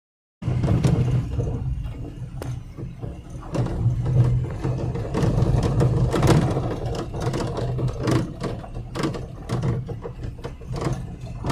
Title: Steering Rattle sound #subscribe